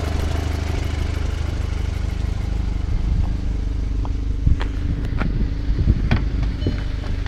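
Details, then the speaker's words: 2006 VW Passat after head gasket job, oil and filter cartridge changed after forgetting the filter, idling about 15 minutes at 200 degrees: low even idle hum, few handling clicks, no knocking or chatter; noise solved. "The car has been running in idle for about 15 minutes. No engine chatter. I think it's good. Problem solved."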